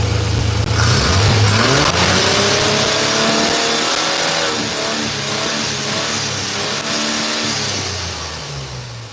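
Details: 1986 Chevrolet C10 with throttle-body injection: the engine revs up and down with uneven, faltering pickup under throttle, a fueling-type stumble. Fuel pressure checked within 14–18 psi and holds; TPS already replaced. Check engine code 44 returns. Injectors or fuel pressure regulator suspected, not confirmed.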